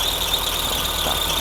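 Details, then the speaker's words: Mercedes W201 2.5-16V manual, parked for years, after repairs on a borrowed external tank: a constant high-pitched squeal over a quiet idle that does not change, the worn drive belt slipping. "His belt is worn out. It's too noisy."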